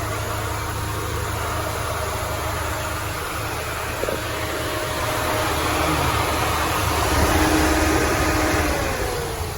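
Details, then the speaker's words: Peugeot 206, manual, revved after brake repair: steady idle throbbing about three times a second, uneven with a shaky undertone, body vibrating; mechanic suspects the engine mounting though it is new, cause not confirmed. "Ini getarnya nih kalau digas. Tuh. Bodinya getar ya, kemungkinan dari mounting kayaknya."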